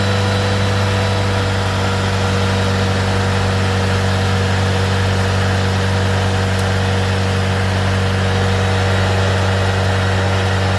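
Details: 1993 Tofaş Doğan SL 1.6, 81,575 km, after crank bearing replacement for bottom-end knocking from running low on oil: steady even idle, smooth low hum, no knocking or tapping; sounds healthy.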